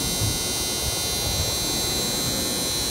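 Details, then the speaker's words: Streetlight coil whine: steady electrical buzz with high unwavering whine tones from vibrating coils, electromagnetically induced acoustic noise. "And actually, in my experience, this is the very first MacBook Pro from which I'm hearing this coil whine."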